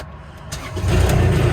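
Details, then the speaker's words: Old truck at an auction lot, with a sticky gas pedal but otherwise running well: it catches within a second and settles into a steady, even idle. Healthy start. "Starts right up."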